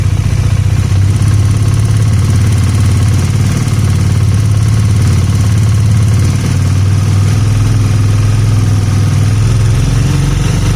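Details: 2019 Bajaj Dominar single cylinder idling with a fast, light ticking over the low thump; later judged normal by-design ticking for 2019+ Dominar 400/250 despite an engine head replaced under warranty; concern only if power is lost.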